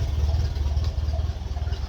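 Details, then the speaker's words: 1951 Ferguson tractor after thermostat housing replacement, at idle: steady, even low thump with a regular beat, nothing knocking or rattling; sweet-running, no leaks. "Brilliant. Yeah, that is a really well running tractor. Really happy with that."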